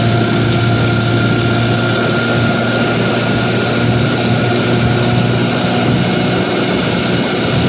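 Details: 1955 Johnson QD-16 two-stroke outboard running in gear at high speed, carb cleaned: steady, even high-rev buzz with no misses or surging; runs well at high speed, though hard to start in neutral and idles poorly.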